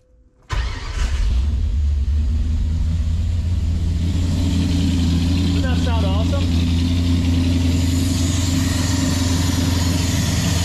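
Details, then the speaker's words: 1966 Mustang 289 V8 with 2.25" Purple Hornies exhaust, started to check one-wire alternator: cranks and catches at once, settles into deep steady even idle, no misses or knocks. "and you know what it sounded so awesome i just want to share this with you guys this this car is great"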